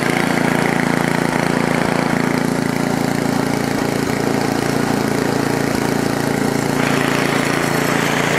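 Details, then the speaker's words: Ariens ST824 (model 924050) 8 hp snowblower, choke on, throttle stuck about mid-range: single-cylinder engine started right up and chugs steady and even, about three and a half beats a second. "well started right up"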